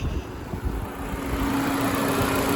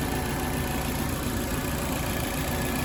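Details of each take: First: 2016 Nissan Versa SV after radiator fan assembly replacement (fuse, relay, coolant temp sensor changed first), AC on, parked at 90°F: steady whoosh spinning up smoothly over the engine; normal radiator fan operation. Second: 2016 Nissan Versa SV at operating temperature, idling with AC on cold, AC blowing hot when parked, after new relay: steady idle and even hum but the radiator fan never kicks on with the condenser; fan not running, later traced to fan assembly.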